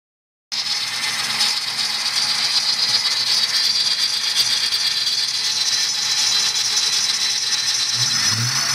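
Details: 1997 Mustang Cobra V8, 120k miles, otherwise runs great: harsh, high-pitched squeal with fast rattly chatter over a faint low rumble. It is louder just after startup, rises with RPM, and quietens but never disappears.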